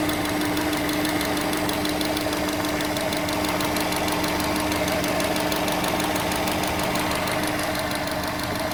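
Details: 2006 Subaru Legacy Spec B, parked at idle. Sharp regular knock about three per second; also knocks in first gear releasing the clutch, not in other gears. Still present after 15 minutes of driving. Engine knock, source unknown.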